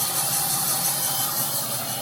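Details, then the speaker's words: Old Fadal CNC mill, sat unused for years, first spindle run at 500 rpm, started slow to warm up: smooth, even whir with steady faint tone, no knocks, rattles or grinding; spindle sounds healthy. "There it goes. Sounds pretty good at 500."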